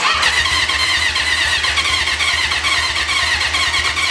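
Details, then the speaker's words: 1980 Honda CB750 that sat 35 years, cranking on a jump box: starter churns at an uneven rapid beat and the engine briefly fires a couple of times but won't keep running. "oh did you hear that we just actually had a little bit of the bike running"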